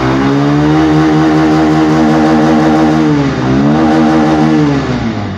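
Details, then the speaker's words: Bajaj Pulsar 150 BS6 that had no idle, poor pickup and stalling, after the throttle position sensor fault was fixed: single-cylinder revs climb and drop cleanly without bogging, and idle holds steady. Normal revving. "வண்டி வந்து இப்போ நமக்கு ஐட்லிங்கும் கரெக்டாக இருக்குது, பிக்கப்பும் சடனாக எதுவும் அடைக்கிற complaint எதுவும் இல்லை, அந்த தம்மு வாங்குகிற பிரச்சனை அமுங்குற பிரச்சனை எதுவும் இல்லை."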